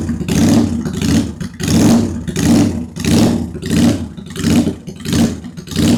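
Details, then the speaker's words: Idle and revving of a 2001 Honda Shadow VT750 V-twin after carb rework, airbox off: even crisp blips about 1.5 per second, no misfire, both cylinders firing; one cylinder seems to run richer, front or rear unsure. "That sounds like both. Yeah, the rear is running a little richer. Or no, the front is running richer."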